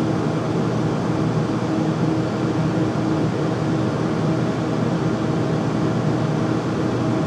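Loud, steady low roar with a faint hum and no rhythm to it; the furnace is running noisy, though the cause isn't evident.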